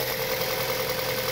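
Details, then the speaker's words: 2006 Mazda 6 after a fix for noisy hydraulic lifters (ticking) involving Seafoam, engine cover off, cold Illinois weather: smooth, even normal idle with no lifter ticking. "here's how my car sounds now uh no lifters no noise just a normal running engine"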